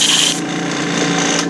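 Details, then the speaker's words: Iwata Eclipse HP-CS airbrush spraying cleaner: steady airy hiss with a ragged, sputtering, feathering edge instead of a clean stream, showing gunk on the needle and a partly clogged nozzle that need cleaning. "is an indication that it's time to clean the gunk off the needle clean out the nozzle head and do some basic maintenance on your airbrush"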